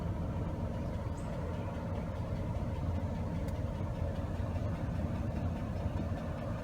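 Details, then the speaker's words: 1998 Chevy Cavalier running rough, stalling, lacking power, injectors disabled in turn: steady lumpy idle unchanged when injector number 4 is cut, dead cylinder misfire; bad injector suspected. "Injector number 4, there is no change whatsoever. So I think I have one bad injector. That is why we have a misfire on number 4."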